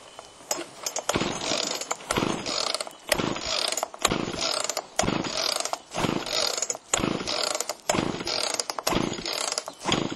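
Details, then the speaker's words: Chainsaw after Texas ice storm, choke on, carb low and high screws untouched: repeated pull-cord rasps about once a second, never fires though feels like trying; spark later confirmed, compression next to check. Cranks but won't start. "feels like it was trying is it on here well it was trying"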